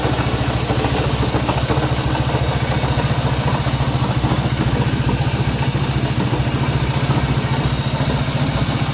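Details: Honda CB190R at steady idle with a fast, somewhat uneven tapping at about three to four per second over the engine; abnormal mechanical noise of unknown origin.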